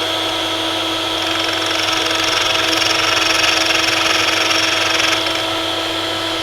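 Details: Parkside drill-bit sharpener grinding a worn 10 mm drill bit. Steady motor whine, then a hissing, gritty grind for about four seconds as the raised wheel bites the bit: sharpening normally.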